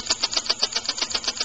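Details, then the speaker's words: Homemade rotary-valve compressed air engine, timing retarded and flywheel drilled for balance: crisp, evenly spaced puffs about seven or eight a second with no knocks or stumbles, smoother and better at low speed; smooth running. "a lot smoother operation, much better low speed operation, as you can see. But it's just generally balanced better."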